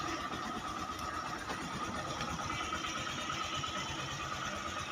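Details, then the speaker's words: Yamaha YTX 125 single with a Keihin PWK carburetor, a throttle-valve choke switch replacing the cable choke. After starting it settles to a steady, even idle with no stumbling or hunting, and the idle is not raised: normal idle. "Ayan yung minor niya, idle niya."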